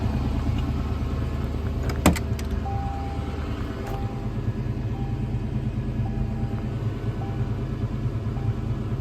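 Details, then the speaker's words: 1986 Ford Mustang GT 302 V8 after a mass air flow conversion, fresh start: it flared to about 1500 rpm, then settled to a smooth, even idle just above 1000 rpm with no misses or knocks; the idle is clean, with a base idle reset still pending. "Fired up and it didn't rev the 2000 RPMs, just like the 1500, and then it lowered itself back down. Idle's super clean. Sounds good."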